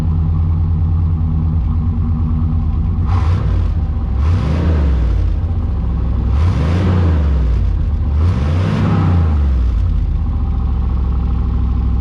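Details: 1991 Chevy Silverado C1500 V8 after a cold start, microphone at the rear by the factory duals-out-of-muffler exhaust: deep steady idle with a few clean rev blips, no knock or miss. The owner says it doesn't smoke or knock.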